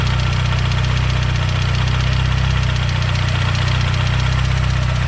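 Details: Built Mazdaspeed 6 engine failed, something let go: heavy, deep knocking about three and a half times a second pounding steadily through the idle, a major rod knock.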